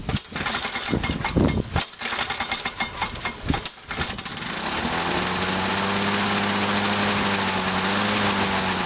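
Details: Lawn-Boy mower two-stroke with Walbro carburetor, just cleaned, started on choke: a few pulls, then catches and settles into a steady even buzzing idle, somewhat smoky; running properly.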